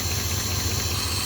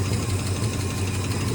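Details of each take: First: 1971 Ford first running in 27 years, on temporary gas tank, old plugs: steady low idle under strong hiss, slightly uneven beat; open vacuum line at back of carburetor needs a plug. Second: 1971 Ford V8 first running in 27 years, on temporary gas tank, needing new spark plugs, carb vacuum line still open: low fairly steady idle with slight lope and brief rev, settling evenly; running better.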